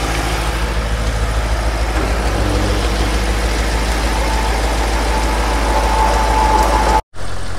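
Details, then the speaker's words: Audi RS6 4.0 TFSI at first start on the ramp after thermostat housing replacement and coolant refill, following turbo oil strainer, check valve and PCV work: deep, steady, even idle with no knocks or ticks; normal idle. "Well, she sounds good."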